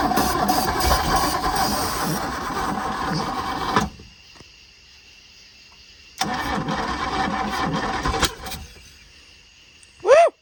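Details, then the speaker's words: Boat engine at its first start attempt in 21 years, with a borrowed HEI distributor and starting spray: long cranking, then another crank that tries to fire but won't catch. Hard start, with very late ignition timing judged by ear. "tried to fire it's got really late timing i can tell but it tried to fire"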